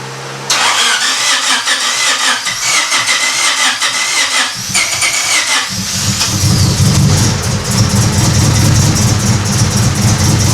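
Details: Honda Civic EK hatch project; the spark tester shows fire on the cylinders, but spark seems questionable. Several seconds of uneven cranking, then it catches abruptly into a loud, held full-throttle roar; it will only run at wide-open throttle.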